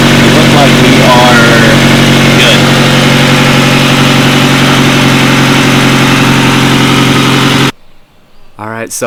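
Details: 1998 Honda Civic hatchback after new OEM fuel filter replacement and battery reconnected: engine catches and settles into a steady, even idle with a smooth low hum, no ticking or stumbling; running fine.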